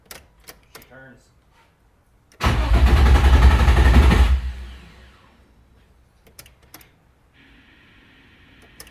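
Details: Nissan 350Z first start after sitting dead over two years, with a newly installed engine and transmission and no fuel pump heard: the starter cranks evenly at about four compression beats a second but it never catches. Cause unconfirmed.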